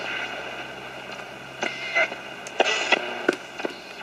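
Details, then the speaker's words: 1960 West German Akkord Pinguin U60-US AM/FM/SW transistor radio, non-original antennas, tuned to a local music station; harsh, crackly audio with scratchy bursts; owner suspects failed automatic gain control; distorted AM reception. "it seems like the automatic game control is shot that's a local music station you can hear it's very heavily distorted"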